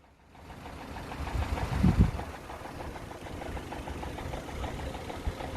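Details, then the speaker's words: Loud, fast knocking rattle from the top end of a warm 1.8 petrol Vauxhall Astra H SRi after 15 minutes of idle, quiet at first; worn VVT cam phaser (dephaser pulley), suspected linked to oil pressure dropping when warm. "right so that was 15 minutes into idle it was quiet at first you can hear all the other sort of little tap you know i'm not interested in that that's all right it's just that sort of loud knocking sort of rattle noise"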